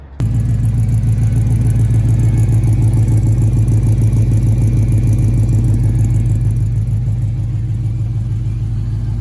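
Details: 1965 Impala convertible after LS V8 swap with new headers and engine mounts; smooth, even, quiet idle with deep steady exhaust burble likened to a Corvette, no knocks or misses: normal idle.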